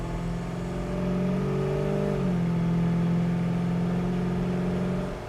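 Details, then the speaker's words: 1969 Pontiac Firebird automatic on road test: engine pulls strongly, revs drop cleanly at about two seconds as the transmission upshifts, then climb smoothly again; firm, perfect shift, normal. "I don't know if you can hear the tranny shift or not, but the tranny shift's absolutely perfect."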